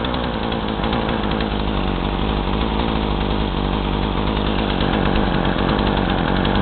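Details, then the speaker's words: Craftsman chainsaw with new fuel lines, about 40:1 mix, run hot without choke, carb screws about 1.5 turns out: a rough, uneven two-stroke buzz that labours and stumbles instead of revving cleanly; bogging, with smoke. "uh but whatever but uh it starts and runs but it bogs a lot so like uh whenever i squeeze the throttle just box and but it does rev up"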